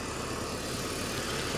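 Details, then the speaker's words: 2004 BMW Z4 2.5i straight six, engine bay: steady, even idle with a smooth six-cylinder hum and no misses, ticks or knocks; no leaks, smoke or odd smell, green coolant; normal idle. "I don't see leaks I don't see any puffs of smoke or anything I don't smell anything weird coolant green coolant she sounds great"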